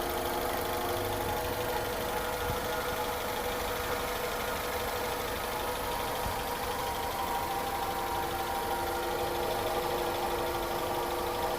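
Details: Honda CR-V first generation at idle: a constant droning hum with a thin, even whine over it, heard in the engine bay and cabin. Engine hum and whine from incorrect distributor timing.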